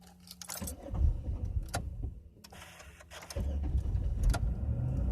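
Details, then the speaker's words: 2000 Chevy Impala 3400 with replaced fuel pressure regulator, pump and filters; keys rattle, short crank, engine catches into low rumbling idle, then stalls when put in gear even with slight throttle; OBD port unreadable, cause unknown (owner suspects MAF). "about to put it in gear oh now it runs but it just shut off start it right back up even if I hold my foot down a little bit to keep it you know kind of going I put it in gear it"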